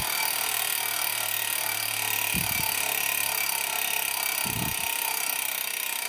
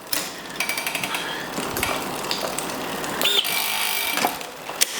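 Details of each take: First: Giant Liv Avail Pro 0 Di2 rear derailleur, shifted via the phone app after adjustment (set to 17 instead of 18): two short whirring shifts about two seconds apart over a steady hiss; clean, normal shifting. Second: Giant Liv Avail Pro 0 with Shimano Di2, front shifting tested after reconnecting and reprogramming for the fitted gear size: short motor whirs and clicks, then a strained buzz and clatter as the chain jams; front derailleur misadjusted.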